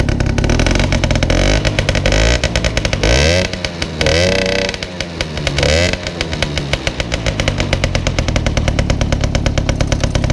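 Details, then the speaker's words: Peugeot 103 moped two-stroke engine, previously seized at 11,000 rpm, rings and cylinder scraped and restarted, very high compression: crisp buzz revving up and dropping back cleanly, then firing steadily; runs fine. "Et allez les amis, je viens de le démarrer quand même pour faire voir qu'il tourne. Il a une très très grosse compression."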